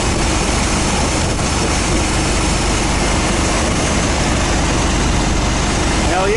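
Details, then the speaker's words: 1990 GMC truck at first fire after a 350 small-block swap, with a Thrush muffler and Cummins exhaust tip and nearly 250,000 miles, cold and warming up: a loud, steady V8 idle with an even low burble and no skips or knocks. It sounds healthy. "holy [ __ ] hell yeah buddy listen to that exhaust oh yeah that sounds good I like that"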